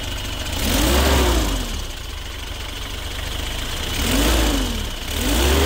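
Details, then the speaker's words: 1995 Isuzu Elf Outback Express diesel camper van, freshly imported: diesel clatter swells smoothly with each throttle blip and settles back to an even idle; the engine sounds healthy. "And that's it, diesel, baby."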